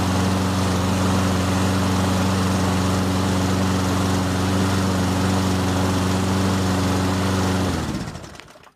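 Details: Toro Recycler 22-inch push mower, 190cc Briggs & Stratton, after carburetor cleaning with foam cleaner and a new air filter: smooth, steady drone with an even tone for about eight seconds, then a clean shutdown; engine running healthy.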